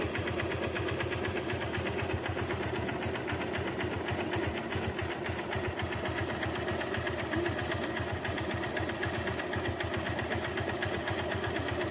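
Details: Motorcycle engine at steady idle with a fast, busy ticking around four per second over the engine, a top-end mechanical noise; origin unconfirmed.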